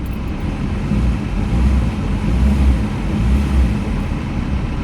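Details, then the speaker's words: 2005 Jaguar X-Type after immobiliser relearn, restarted instantly with no warning lights: deep, even idle rumble with no misses or knocks; engine sounds tidy, normal idle. "Let's try that again. Instant. In fact, that engine sounds quite tidy."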